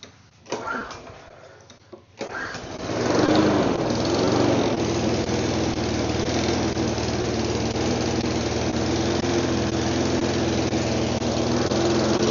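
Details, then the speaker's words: Neglected mower after a cleaned spark plug; after a couple of pulls the small engine catches at high idle but runs very rough with an uneven beat, since low idle wasn't enough. "Running. It's rough. Very rough."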